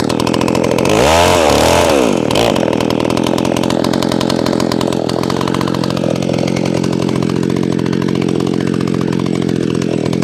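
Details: McCulloch SP-125 chainsaw with .028 jet, cutting then between cuts as it warms: high scream, then fast slightly uneven buzz; suspected lean running; owner will fit .029 jet.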